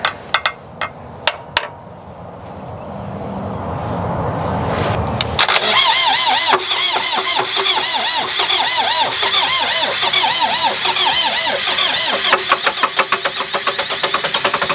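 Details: Presumed mid-to-late-1980s L 844 TT 34 Highlander II diesel telehandler, normal start: a few sharp clicks, then the diesel catches and runs on at a steady, even clatter.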